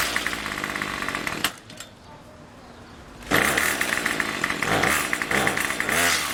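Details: Craftsman Weedwacker gas trimmer 316.791191, MTD 27cc two-stroke shortblock with Zama C1U-P27 carb, rebuilt with new piston rings and gaskets; next-day cold start with a little throttle: a sharp buzzy two-stroke catches and runs without misses, a normal cold start.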